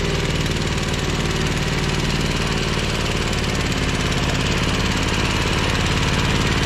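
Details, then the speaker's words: Ferris 52-inch commercial hydro walk-behind mower, twin-cylinder engine, smoking, low on power and worse with the PTO engaged: uneven, stumbling idle; rough running from a bad carburetor O-ring blocking a fuel jet. "you can here and see it's smoking and especially when you engage the PTO it runs even worse it doesn't have a lot of power"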